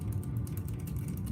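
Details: Redcat Volcano S30 RC truck during rebuild, front drivelines rocked by hand: quick light clicks over a low hum, harmless slop in the still rubber-cushioned joints; other drivelines have none.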